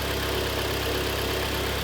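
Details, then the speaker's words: 2013 Kia Sportage G4KD, 169,000 km, AWD automatic, after full engine overhaul for piston knock and cylinder scoring, heard from outside: even, steady, quiet idle with a smooth low hum and no knocking or ticking; normal idle. "Как он себя ведёт по наруже работает ровненько работает тихо Это самое главное"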